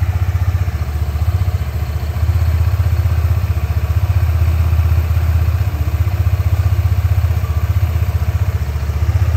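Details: New 2025 Honda PCX 160 ABS RoadSync scooter, about 91 km on the odometer, still breaking in, strong vibration early on: steady low idle thump, about four pulses a second, without grinding or rattle from the side transmission.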